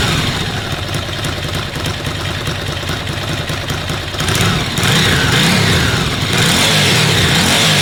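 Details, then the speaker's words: Ducati Monster V-twin after a cam belt change: rapid dry ticking, about three or four a second, over an uneven idle and blips; normal dry clutch rattle, not a fault. "anyone wondering about the particular sound you getting the engine it's the touches on Ducati they make that ticking sound take 250 tttt chicken it's not false it's the clutch"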